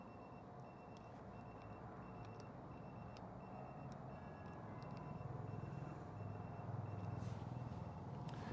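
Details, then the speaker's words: Citroen Ami with an aftermarket tyre pressure monitor: steady high beeping, about two a second, a low-pressure alarm because the rear tyre reads 2.0 and the low limit was mistakenly set at 2.2. "So if I've set a lower pressure of 2.2, then it's going to go off because the back one's a 2."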